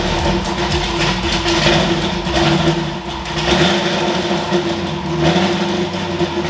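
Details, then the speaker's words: Ford F100 V8 after tune fix (plugs had run dark) and new spark plugs: loud lumpy idle with clean throttle blips, no misfires or pops; runs rowdy, tune significantly better. "all right well this thing is absolutely Rowdy as you can see and uh the tune's a lot better like significantly better"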